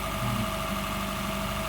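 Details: Honda Fit GP5 hybrid, cold, after valve clearance adjustment: smooth, quiet idle with a steady low hum and no top-end ticking; valve noise gone, normal idle.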